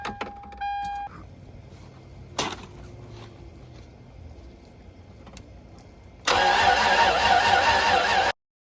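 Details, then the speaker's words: 1996 Toyota 4Runner 3.4 5VZ-FE after head gasket and cylinder head replacement, first fire, cold start in snow: door chime, a few clicks, then it catches and settles into a loud, even run; clean cold start. "First fire. Cold start. First time I heard that noise in a while."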